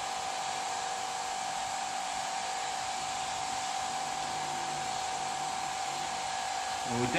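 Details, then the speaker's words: Vacuum pump drawing down a carbon infusion setup without a gauge: steady airy hiss over even pump drone; chamber top not seated because a small o-ring popped out of its groove; vacuum leak at chamber o-ring. "but it actually sounds like it's coming from the chamber unscrew this I'm wondering if that over again the top is not seated"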